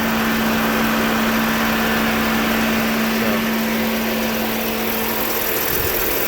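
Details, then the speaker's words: 2009 Dodge Journey with a new radiator, idling. The cooling fan gives a steady airy rush and hum that changes and fades as part of the airflow is covered; normal fan operation. "Yeah, that fan is moving a lot of air. He's pulling that piece of paper off the bumper right up against it."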